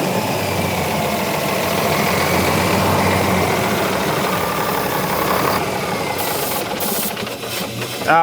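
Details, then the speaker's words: 1999 Beaver diesel motorhome stored 3–5 years: catches roughly on starting fluid, then dies and won't run on fresh fuel. RPM doesn't rise, so owner suspects the ECM isn't seeing engine rotation; pump sensors still to check. "uh we find out when we run the engine on a starting fluid the RPM doesn't go up. That's mean the actual ECM doesn't see the the engine actually spinning."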